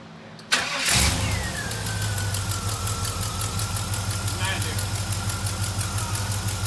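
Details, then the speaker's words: Project Whitesnake, start after swapping the FiTech 400 fuel injection for a 650 Brawler carburetor with a homemade fuel line and the choke and fuel pump wired in. It cranks briefly, catches cleanly and settles into a steady, even lope; runs as well as ever. "as good as it ever was probably even better"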